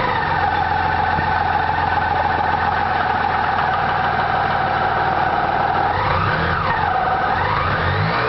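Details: BMW K75 RT motorcycle engine cold after starting: steady run with raised mechanical whirr, then a rev blip; abnormal cold-start noise, source unclear.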